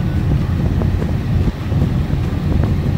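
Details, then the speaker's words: 2000 Jeep TJ with engine running, after replacing the HVAC control panel: the blower is set to air-conditioning recirculate and then full speed, giving a steady full rush of air with no rattle or squeal, so the fan works normally. "So we'll put it on air conditioning recycle. Can you hear the fan? I can hear it. Next one, full bore."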